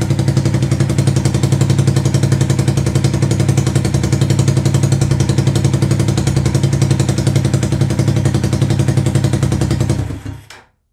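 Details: 125cc CCW Sinnis Heist chopper after carb float-height adjustment: even chugging idle near four pulses a second for about ten seconds, then switched off and dies away.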